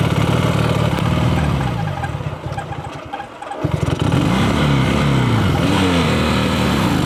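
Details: Abandoned Honda Dream motorcycle, a small single long stored in a warehouse and saved from the scrapyard, catches and blips up through the revs, then pulls away smoothly with even firing; runs pretty good, healthy.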